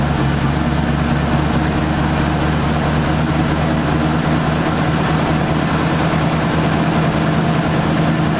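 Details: 1978 Ford Fairmont Futura after GT40P head swap, Holley two-barrel carburetor, just started: deep, even idle holding a constant beat with no stumbles, ticks or knocks; running cleanly.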